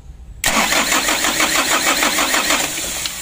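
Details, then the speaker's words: Mitsubishi Canter diesel with worn injection pump plungers, cranked repeatedly with throttle held wide open: starter churns steadily at about three beats a second but the engine never catches; a faulty ignition switch is also suspected. "Coba ya kita starter berkali-kali di gas eh mentok bekas tinggi juga tidak mau hidup"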